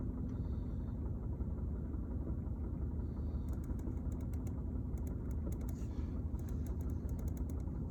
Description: Strange rattling sound coming from the mid part of the car floor, when the car is Idling.